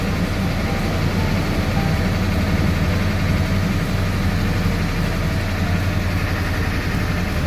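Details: Ford 7.3 Powerstroke turbo diesel after a no-start fixed by replacing the missing fuse 30 in the relay control circuit that lets the computer activate the injectors: deep, steady diesel idle with even low rumble, no misses, knocks or hunting; healthy.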